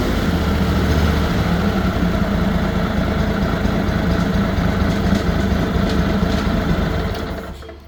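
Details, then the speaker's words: Derby (Simplicity/Ferris) zero-turn mower twin engine after replacing ignition coils/modules, revved up: smooth, even running, no exhaust popping at higher RPM as before; normal running, no exhaust popping. "and there's absolutely no popping if you recall I replaced the ignition coils on this uh because at higher RPMs you could hear it popping through the exhaust not loud but you knew you had an issue"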